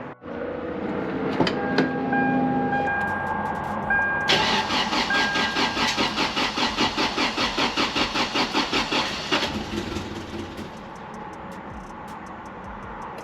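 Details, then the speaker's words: 3rd-gen Toyota 4Runner, 3RZ-FE 4-cylinder, 5-speed manual 4WD: first start after reassembly with fresh oil and coolant; cranks briefly, catches cleanly, steady even idle, no knocking or misfire, no oil light; healthy start. "we're gonna throw a battery in this thing crank it over and see if it starts see how it sounds make sure this thing is good to go"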